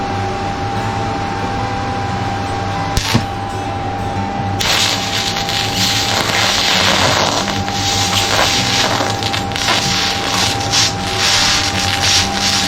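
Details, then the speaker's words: New Harbor Freight Titanium Unlimited 200 TIG welding after switching to torch negative, ground positive and lowering voltage to reduce heat: steady crackling hiss with a faint constant high whine, even throughout. The tungsten no longer burns off, and the arc is stable and normal. "Yeah, we're not burning the tungsten rod off anymore. That's good. Okay, we made a voltage adjustment to adjust the heat down."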